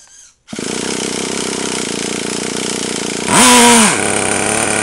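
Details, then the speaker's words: Traxxas T-Maxx nitro engine, cold start, finally fires: catches at once and holds a steady high buzz, then revs up cleanly and settles; running properly. "all right it's a little oh wow sweet that's working good"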